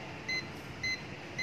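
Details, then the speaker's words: Perodua Axia air-conditioning with dirty compressor oil, leak detector at the cooling coil: high-pitched beeps every half second over low room hum, continuous reading signalling refrigerant leak at the cooling coil (evaporator). "Dia memberi bacaan yang berterusan."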